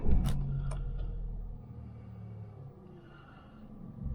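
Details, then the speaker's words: 1.2 car at 30,578 miles, no engine management lights, low on fuel: starts with a quick catch, then settles to a quiet, even low hum with no knocks or misses; healthy small four idle. "no engine management lights so we're good on that front 30 578 miles sounds like every other 1.2 of a road"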